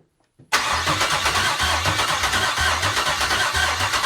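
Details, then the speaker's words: GM L86 6.2L V8 on an engine stand, first start with a ZL1 fuel pump module and no fuel yet in the tank: steady starter cranking about three beats a second with no firing; air in the lines, no fuel pressure. "got a lot of air in the lines so far no pressure"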